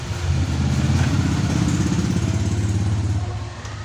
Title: HARD STARTING NA MIO@chriscustomcycle